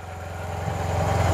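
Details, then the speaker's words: 2009 Yamaha TMax scooter, 18,000 miles, neglected project bike just started, held on brake: quiet, steady low putter with even beats and no knocks or rattles; healthy normal idle. "there we go and it's quiet"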